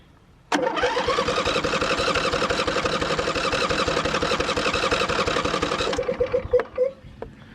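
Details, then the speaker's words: Riding mower on a stronger John Deere battery, after earlier hard cranking and jump-starting: strong, even cranking at about four compressions a second for five seconds without slowing; normal cranking, good connection. "Great connection. Turning nice."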